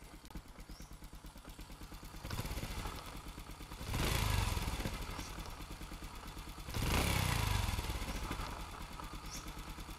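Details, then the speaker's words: Honda Future Neo engine, original and run over ten years, test-run after a rebuild, mounted in frame: even idle with light valve tapping and steady exhaust putter, blipped twice; clean, healthy, normal running. "máy không có gì bàn anh em chỉ nghe tiếng bét tạch tạch chứ tiếng nồi chả cọc cọc tiế bô nổ bịch bịch bịch"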